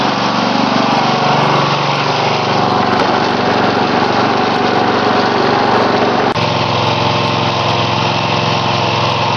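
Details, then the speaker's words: Homemade little tractor back running after a burnt-out transmission and slipping rear sprocket, smaller pulley fitted: small engine holds a steady, even generator-like drone, no knocks, misses or surging; normal running. "hear that menacing noise outside sounds like a generator not that menacing but anyway that's an old machine of mine"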